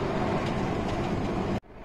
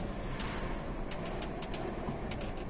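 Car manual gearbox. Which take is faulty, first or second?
first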